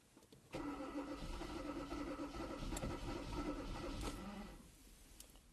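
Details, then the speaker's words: 2014 Kia Cerato with prior overheating cranks steadily at an even beat but never catches; fuel pump, injection, ignition readings normal and no fault codes; no-start traced to a stuck intake cam timing solenoid. "السيارة كرانكينج، لكن ما تشتغلش السيارة. طبعا المحرك يدور ولكن السيارة لا تعمل."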